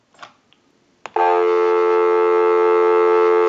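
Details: Western Electric Princess desk telephone after repair, final checkout via amplified pickup before calling out; steady clean two-note hum holding over two seconds without warble or breakup; normal dial tone.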